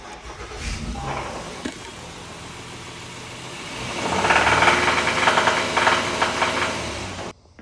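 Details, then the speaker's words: 2021 Honda Pilot, 3.5 L petrol V6, 77,000 miles: rhythmic knock that gets louder as the engine is revved, from a thrown (bad) rod bearing; engine replacement. "This is the Pilot with the V6 3 and 1/2 L and has thrown a rod bearing. 77,000 mi."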